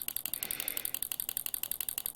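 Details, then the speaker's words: 1960s pulse-proportional model radio control rudder actuator flapping: fast, even, sharp clicks about ten a second as it hits its mechanical stops, biasing left or right with the stick; normal operation. "as you can see if I push this stick to the left it biases the actuator To the Left Right Rudder biases it over to the right and in the center it's flapping both ways the clicking you can hear is actually mechanical"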